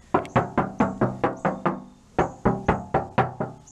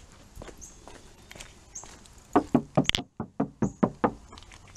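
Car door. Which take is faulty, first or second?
first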